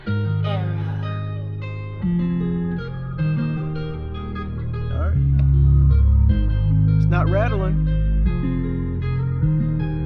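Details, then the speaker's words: 2015 Mazda 6 Touring Bose front door speaker after CA-glue repair of a rattle, door panels loose, same song at volume about 46: full steady bass, no buzzing or crackle. "foreign all right then sounds good to me"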